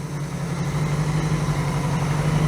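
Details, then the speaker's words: 1982 Honda GL1100 Goldwing with single Solex-type carburettor conversion and electric choke: steady, even low-pitched idle with smooth unbroken beat, no knocks or misses; normal idle. "Seems to be running all right, and I'll bring you back whenever we get this thing road ready and we take it out and actually try this carburetor setup out."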